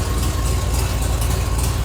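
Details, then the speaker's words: Long-stored barn-find car, started after fixing a fuel leak: deep heavy idle with a loud rumbling open exhaust note, because the catalytic converter and downpipe are missing. "and the reason why she's as loud as she is right now is cuz she's missing the Cadillac converter"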